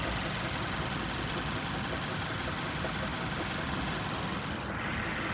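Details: 2014 Mazda6 GJ, 2.5 L 192 hp SkyActiv, warm after 15–20 km of city driving. Fast, light, distinct knocking ticks at idle over a hissy background. Engine knock, source not identified.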